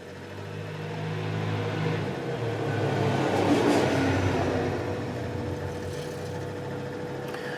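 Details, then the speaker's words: New Endless Breeze fan after adding two washers as a blade counterweight, run at speeds one to three; soft even whir, slight vibration left at speed two, perfectly smooth at three. "one it's pretty stable two seems to be the worst place I still have a little vibration and at two but nothing like it was and at three that all Smooths out and it's perfectly fine at three"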